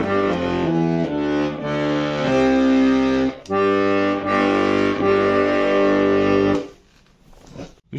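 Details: Bayan (button accordion) bass G reed on the bellows draw, after the squeaking reed was found and adjusted: clean, steady notes with even tone, no squeak or rasp; the reed sounds right.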